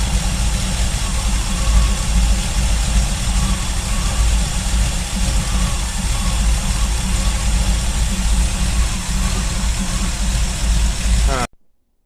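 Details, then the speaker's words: Chevy C10 with SBC 305 V8, warmed up after a few minutes of driving (it had smoked and sputtered at startup): deep, even idle with steady low rumble and no stumbling until shut off; normal warm idle. "but now after a few minutes of driving I've got her up to temp she wants to run well"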